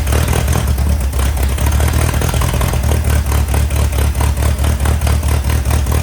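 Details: 1961 VW Beetle barn find, unmuffled air-cooled flat-four after long sitting: loud, raw open-exhaust chuff with even low pulse and steady ticking; idles smoothly, rear main seal leak suspected.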